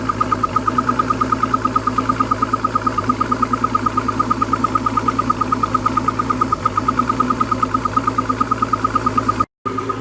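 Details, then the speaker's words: 1991 Crestliner ProAm running after sea trials with water flowing, four-beep low-oil alarm chirping about three per second over low engine hum; oil tank slowly filling, alarm recurring every few minutes. "right truth be told it is filling up out there it is taking forever to do it however but it is coming up and the alarm does come off every few minutes"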